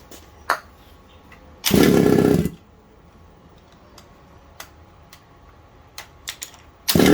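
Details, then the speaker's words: Secondhand 1/5-scale RC Baja two-stroke with a replaced isolator block. It blats briefly, then dies abruptly when multi-purpose spray is applied between the block and engine. This confirms an air leak there; the owner is unsure whether it is the isolator block or head gasket. "so there you go I'll spray this up and it stops straight away so there's still a leak so I don't know if it's the head gasket or foreign"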